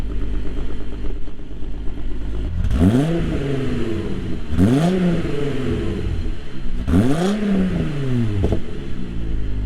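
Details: MK3 Jetta GLX 12v VR6 after tune-up fixing a misfire: smooth even idle with three clean revs rising and falling, no stumble or skip; running smoothly with misfire gone.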